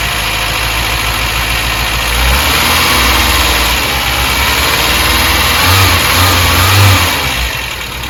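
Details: Skoda Favorit Forum started after head gasket replacement and refit: the engine catches and runs fairly evenly at a fast idle with a couple of small rev rises and no knocking, running normally.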